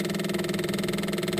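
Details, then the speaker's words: Cat 259D after fuel lift pump install and new fuel filter, key on: fast even electric buzz and click with steady hum as the lift pump primes normally, filling the filter bowl. "let's click this on and see if we hear that that clicking sound aha I can hear it from here there we go see that it's filling up that bowl down there"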